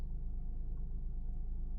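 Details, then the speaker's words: Honda Pilot 3.5 V6 with only code P3400 and a check-emission message, barely able to exceed a couple mph. Deep uneven chugging idle, likely running on three cylinders. Owner suspects oil pressure sensors, dirty or low oil. "maybe you can maybe you can hear it how bad it's running chugging really"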